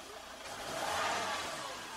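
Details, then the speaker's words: Car whose differential locked up, sensors on the differential suspected: engine revved, note swells smoothly and evenly and settles back with no knock, rattle or miss; sounds normal, healthy rev. "Sounds normal to me. I'll just rev it, nothing. Alright."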